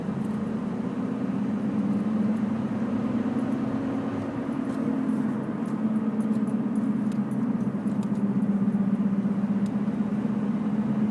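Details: Loud, steady low drone that holds almost unchanged throughout the drive, a road hum that may come from the tires.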